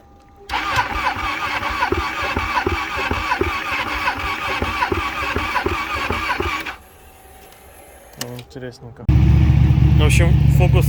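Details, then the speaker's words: Ducati Panigale 1299 (1.3 L) first start after sitting all winter with battery disconnected: starter churns about three to four pulses a second for six seconds, then finally fires and runs; hard start, needed lots of cranking. "с первого раза не завёлся Пришлось изрядно покрутить, даже попробовал с толкоча"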